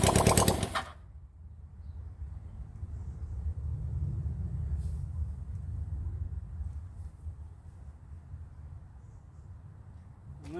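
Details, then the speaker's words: Rebuilt 1975 Honda CB400 Four engine, first start on test run: catches easily and runs at a low, uneven, lumpy idle but keeps turning steadily; a carburettor keeps flooding, so the float is to be freed. "let's give a check and let's see what it [Laughter] does well that started e easy"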